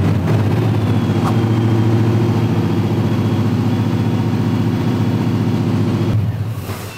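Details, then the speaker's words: Car with Holley EFI during an idle control demo with ISC position set to 100 percent: the engine holds a fast, steady drone well above normal idle for six seconds, then shuts off. Idle is far too high; at 0 percent it would not start. "obviously wasn't enough the car wouldn't even start and Run 100 was way too much the car idled really really high"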